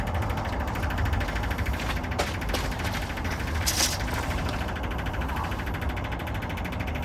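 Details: Engine of a VW Bus (neglected 30 years) running at first start after service with the exhaust removed: steady, very loud deep rumble with harsh rasp, no muffling; loud open running without exhaust.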